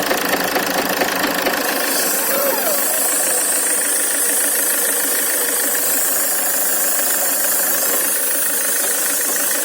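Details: Land Rover Freelander 2 diesel engine running with a steady, repeating knock, roughly two beats a second, over its clatter. Valves, rockers, injectors, compression and timing marks were checked OK, with no fault codes; cause unknown.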